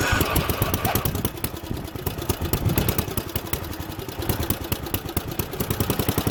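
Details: Junkyard Ditch Witch C99 trencher, old, year unknown, started in neutral: single-cylinder engine chugs at a fast, even beat with light clatter, running steadily; normal running.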